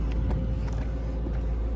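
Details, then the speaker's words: 2004 Mercedes S55 (W220) after replacing a dead fuel pump and clogged fuel filter and fixing a blown fuse, started after priming. The ABC warning light is on. A deep, steady, even idle rumble with no stumbling or knocking: normal idle. "now this car starts it runs and of course you have the ABC light on but it's running guys it's running"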